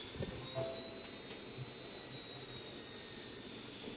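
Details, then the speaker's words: Dell Latitude E5420 laptop at power-on: loud, steady high-pitched fan whir with a faint rough flutter as the blade catches debris; back cover opened, a scrap of paper was found stuck in the fan. "देख रहे हैं यह काफी fan की आवाज आ रही है। तो इसको ओपन करते हैं और फैन इसका जो है ना चेंज करेंगे।"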